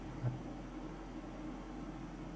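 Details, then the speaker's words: Mitsubishi DXK13YXP-W1 inverter air conditioner, 12,060 BTU, about one month old, indoor fan on low (Fan Speed 1); soft steady airflow hush with no rattles or tonal hum, running quietly. "และนี่คือเสียงพัดลมครับคือขนมแอร์ครับก็ผมจะใช้โหมดโลนะครับ"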